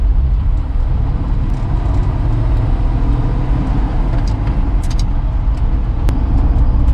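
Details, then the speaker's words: 1966 Ford F100 with the 300 six-cylinder and 4-speed manual, one-owner farm-auction truck, driving at about 40 mph, running cool: smooth, even low rumble with a quiet exhaust, no knocks or rattles; normal running, pulls well at low rpm. "does pull pretty good at the low rpms maybe they're even pulling anymore must be doing 40 no strange noises"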